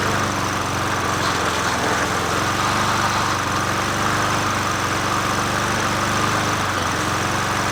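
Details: Old free Murray 20" push mower #20201D, missing gas tank, carburetor just coaxed into running, no air filter fitted; single-cylinder runs fast with a slightly uneven ragged beat, not running cleanly — rough running.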